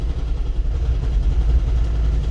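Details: 2002–2010 Toyota Prius hybrid at idle: low, lumpy idle with irregular dips and stumbles; scan tool misfire count points to cylinder 1, occasionally cylinder 2, worse when stopped, calms when accelerating.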